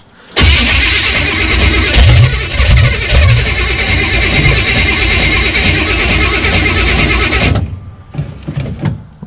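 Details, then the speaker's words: Small-block Chevy Caprice demolition derby car on jack stands in Park, after replacing the starter that broke at the derby: the new starter cranks strong and smoother, then the engine fires and runs loud and steady for several seconds; normal start. "much smoother all right let's give her a couple pumps see if she'll fire"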